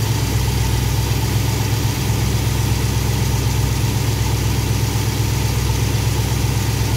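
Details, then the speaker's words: V8 with Thermoquad carburetor after baseline idle mixture tuning, idle 970 rpm with good vacuum; steady, even low rumble, no misses, knocks or hunting; smooth idle with mixture set right. "Yeah, 970, it looks pretty good to me. I'm still running good vacuum."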